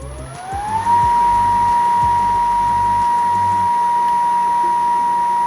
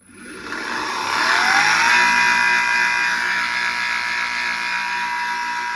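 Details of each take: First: PPA Brutalle 3.0 JetFlex industrial sliding gate motor after repair, spinning up to a smooth, steady high whine with no grinding; noise fixed by replacing only the bearings. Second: PPA Brutalle 3.0 JetFlex industrial sliding gate motor spins up with a whining rise, then runs with a rough, rattly hum and steady whine, a noise attributed to worn motor bearings.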